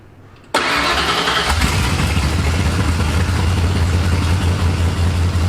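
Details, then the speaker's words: 1989 Ford F-150 after setting base timing to 15 degrees and reconnecting computer timing control; cranks, catches, then lumpy uneven loping idle like a big cam; suspected dead cylinder, cause unclear. "all right I don't know why it's running like it's got a hog ass cam it sounds like we got a dead cylinder or something"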